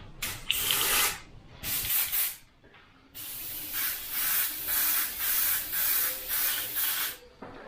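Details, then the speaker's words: Sagudio acrylic paint straight from bottle in 0.3 airbrush at 25 psi: short hissing spray bursts, fierce, with rough uneven spit instead of smooth hiss; paint too thick, not flowing right. "Again, it paints it, sprays it with 0.3 straight out the bottle, but you can just tell it's not flowing right."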